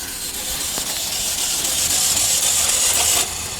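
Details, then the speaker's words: Car engine of unknown mileage cranked on a booster pack: starter spins fast and perfectly even, about four beats a second, with zero compression; suspected broken timing chain, engine considered done. "All right, came back to life. Oh yeah. You hear that? It's got zero compression."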